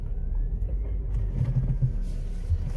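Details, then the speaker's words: Ford Focus (1999-2007) on a test drive after engine mount replacement; steady, smooth low rumble with no clunks or vibration buzz, shifting feels better, drivetrain noise fixed. "shifting fuse email shifting feels better too as you can hear there is no more no more noise"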